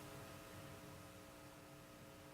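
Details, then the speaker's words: Restored 1936 Philco 116X tube radio at first power-up, at about 90 V: after the hum potentiometer is adjusted, a constant low mains hum with buzzy overtones remains, quieter and slightly better. Mains hum. "let's try adjusting that potentiometer which is right here on the side and see if we can make that humo away it sounds like it's a little better"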